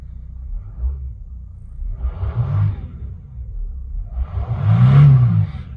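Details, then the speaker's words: 2006 Mercedes CLK 320 3.0 V6 diesel (OM642) after repair for fault 2513-1: two clean rev swells past 3000 rpm, previously limited, falling back without hesitation or cut-out; limp mode cured. "as you can see, it goes over 3000 revs now. Which before wasn't."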